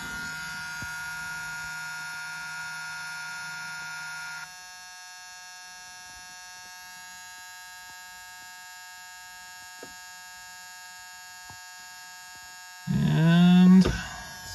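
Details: 1983 Chevette diesel that won't start after a head gasket and new injection pump: with the key on, a steady buzz holds for several seconds before cranking; most likely the glow plug preheat buzzer.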